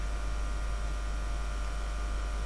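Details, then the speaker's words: RX02 floppy drive power supply brought up to 170 V mains, output holding about 29 V: steady, even low mains buzz with no crackle or surging; the ferroresonant transformer regulating properly. "You can hear the typical ferroresonant buzz, but you can see how this self-regulates."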